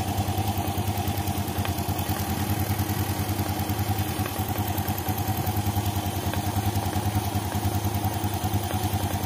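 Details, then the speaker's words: 2014 Yamaha Jupiter Z1 clattering when the engine is cold: steady, even clatter at about three knocks a second at idle, first thought to be the clutch; it comes from the crankcase breather hose clogged with water-like dirt. "ini suara berasal dari selang pernapasan mesin di sini kita lihat ada kotoran ya semacam air ya"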